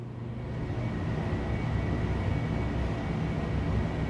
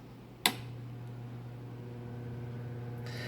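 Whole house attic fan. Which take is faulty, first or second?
second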